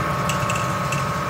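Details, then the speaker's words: 2006 Ford F-150 4x4, front axle turning: light irregular marble-like clicks over a steady hum; the CV axle binds and has thrown its grease. The noise appears when driving or turning. "Aquí hace ruido también, miren. Oye, como una canica, clic, clic, clic."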